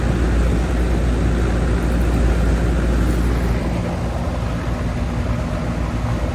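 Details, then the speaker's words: Old Goodman AC outdoor unit on an 8 pm no-cooling call. Only a steady low whoosh of the outdoor fan with no compressor hum; the condenser fan runs but the compressor is silent. Cause suspected, not confirmed; gauges are to be checked. "Oh, Goodman. Go get a gauge and see what she's doing. All right, I thought I heard a compressor, but I did not."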